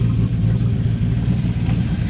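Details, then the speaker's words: 1998 TVR Chimaera 500 V8 being revved: deep, steady rumble under loud revs, pops and burbles on the overrun coming off throttle; healthy engine with normal overrun pops. "Pops and burbles on the overrun when you're driving"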